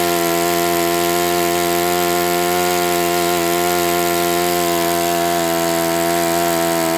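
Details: Enya 46-4C four-stroke model engine on a test stand, 11.5 prop, air bleed opened 1/4 turn: steady, high buzzing run at constant speed with a rough, gritty edge; owner suspects tired bearings needing replacement.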